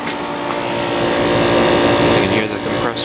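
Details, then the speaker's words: Older window air conditioner with perfectly clean coils and condenser and new capacitor: steady even compressor hum with constant tone under low fan whoosh, no rattles or grinding; normal compressor operation. "this thing has a new capacitor so it's running as efficiently as it possibly could"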